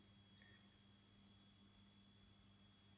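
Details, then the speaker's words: Pole Position arcade cabinet monitor on power-up after PCB work. Faint, steady very high-pitched whine over quiet room hum; chassis rebuilder says it's normal, likely something warming up, and it fades soon after. "it's really bad, isn't it? What is that noise? But I've spoken to the guy who did the chassis. It's gone now already."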